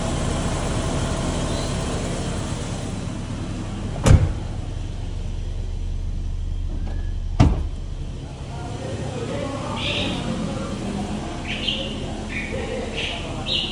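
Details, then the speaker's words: Toyota Kijang LGX 1800cc, old car just started at idle; steady low idle with no misses, a couple of door thuds over it; distributor seal seeping slightly, but the engine sound is fine. Normal idle. "kalian di Thailand untuk suara mesin seperti ini ciri khas Kijang LGX 1800cc"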